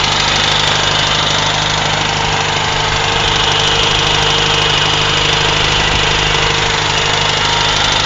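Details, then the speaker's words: UZAM 1.5 engine knock, rebuilt engine; knock appeared after 1,200 km; valves adjusted at 1,000 and 1,400 km; chain rubs the damper edge, owner thinks that's not it. Slight choke, about 1,500 rpm: dull, uneven knock, as if something hangs loose; source unclear. "Вот он. Как будто где-то что-то висит и что-то стучит. По тахометру 1500."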